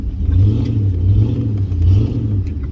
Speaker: Loud pipes, motor running. You can hear me when I'm coming.